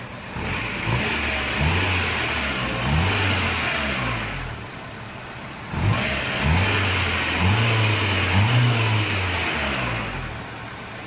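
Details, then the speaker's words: Toyota AE86 4A-GE four-cylinder revving cleanly twice and settling back to idle, smooth and even with no knocks or misfires, after timing set to 10 degrees per factory manual, idle adjusted toward 800 rpm, throttle body and TPS set up: healthy engine. "the timing light is looking good here's what it sounds like"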